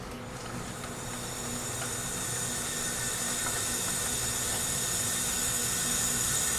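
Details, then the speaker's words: Leak-down test on cylinder 4 of a 1977 Toyota SR5 pickup's 20R engine, sat 10 years, ran rough and lost coolant: steady hiss slowly building and holding, bad leakage; loose rocker arms found, rings suspected, likely dead cylinder. "Criminy. Sounds like rings. Rocker arms are loose."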